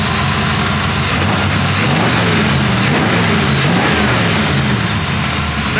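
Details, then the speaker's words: 1940 Ford Tudor street rod V8, warm at about 190°F after carb spacer reinstall, plug cleaning and idle adjustment: strong clean blips rising and falling crisply with throttle, no misses or knocks; normal revving. "pretty damn good"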